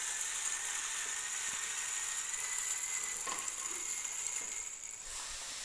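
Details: Mahlkönig X64 SD grinder after full service following a jam that tripped its breaker, hot start at coarse setting: steady gritty high-pitched hiss of beans through the burrs, motor holding speed without labouring; healthy.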